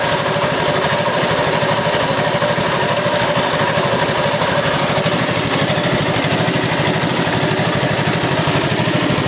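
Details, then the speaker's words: Tow-behind flail mower's Wisconsin TJD 20 hp inline two-cylinder engine, battery iffy, test-cut grass fine: steady, even thrum with regular firing pulses, no knocks or misses; running smoothly. "is a flail mower powered by a wisconsin tjd 20 horsepower inline two cylinder engine"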